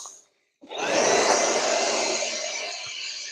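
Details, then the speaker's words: New Makita 12V cordless blower, unboxed and first run in garage, three speeds: spins up from silence to steady airy whine easing slightly, clean and even; healthy motor and fan, normal running. "this is going to get loud guys oh it's got three speeds oh it barely blows oh"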